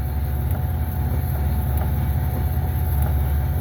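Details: 2005 Pontiac Aztek AWD in gear, AWD disengaged, listened to at the rear gearbox, which has fluid: heavy low drone with a dull thump about every 1.3 seconds and jerking; owner suspects the rear gearbox is failing, unconfirmed.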